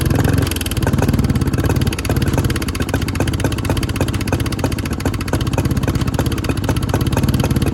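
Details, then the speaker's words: 2014 Honda CRF125F, said freshly rebuilt by previous owner, no power and smoking a lot: sharp pecking tick about four a second over rough uneven idle; cam chain timing out, before correction. "it runs but it has a loud pecking noise coming from the engine it has no power whatsoever and it smokes a lot"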